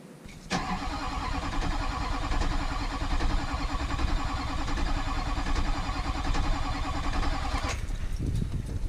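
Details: Diesel in a wrecked rollover truck being rebuilt, cranked after rewiring with fuel priming attempts: spins over steadily for several seconds but never fires; turned out to be a priming issue, started after more priming.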